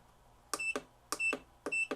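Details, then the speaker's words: Black & Decker VEC1095ABD 2/10/25/75A engine-start battery charger, nearly 20 years old, plugged in with no battery connected: three short high beeps with stiff button clicks as it runs its check and shows an F02 no-battery error. "It beeped so it's doing the little circle check it's probably going to come up with some kind of I don't know L2 or z62 I don't know"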